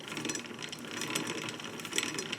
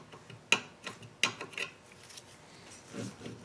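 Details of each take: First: Dixon lawn mower, wheel spun by hand while adjusting, after it had been catching on the bottom: light, fast ratcheting clatter. This is normal drive chain noise, nothing rubbing. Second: Dixon lawn mower, hub turned slowly by hand; irregular light scrapes about once per turn as the brake drum rubs, catching on the top side.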